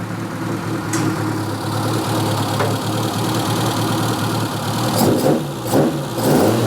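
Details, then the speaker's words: Steady, throaty idle with a few quick throttle blips that pick up cleanly and settle back; the engine sounds quality and runs fine. "I am so getting nicked that sounds quality she's alive"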